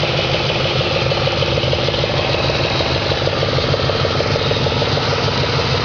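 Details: 2004 Audi S4 4.2L V8 at idle, oil pressure over 100 psi: a steady idle with a regular, even knock of about three per second riding on it. An internal engine knock at idle.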